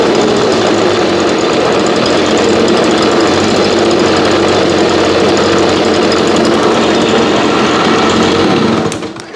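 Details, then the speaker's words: Old backup two-stroke blower that sat about 8–12 months, cold start around 30°F on ethanol-free fuel without stabilizer: harsh raspy buzz with uneven rattle, three or four pulses a second, dying off; rough running, owner hears blown bearings, suspected carb issue. "so runs pretty rough honestly this is why i don't use this unit here"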